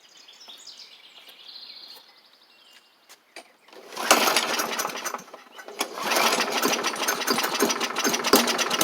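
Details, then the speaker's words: Bolens push mower with Briggs & Stratton Classic engine, first start after carb diaphragm check: fires up and runs ragged, rising and sagging unevenly; owner thinks water remains in the fuel, carb diaphragm still needs replacing. "I think we still got a little bit of water in it"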